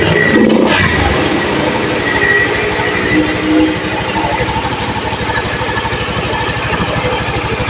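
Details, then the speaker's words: Honda Beat FI scooter that stumbled and stalled, after reset and fuel pump check (pressure had been low, 30–35 psi): fires up via kick start on a weak battery, settles to an even steady idle; engine smooth, fuel pump fine. "Suaranya ini ya, mesin halus, full pump aman."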